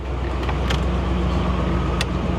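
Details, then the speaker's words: 1998 Ford Explorer on R134a, engine idling: the A/C compressor clutch clicks in about once a second over a steady idle and the air blows cold. Normal compressor clutch engagement. "I heard it. I heard it click. No way. No way it's gonna have cold air conditioning too. Just clicked again."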